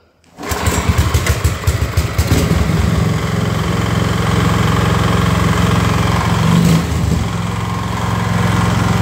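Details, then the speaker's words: Small single-cylinder engine after eliminating crankshaft horizontal play with a stainless shim, bearings good with no vertical play: runs with rough uneven knocking under exhaust; knock remains, crankshaft suspected, engine replacement likely. "предположить что стучит коленвал потому что подшипники все живые подшипники вертикального люфта нет вообще стой вот а стук остался"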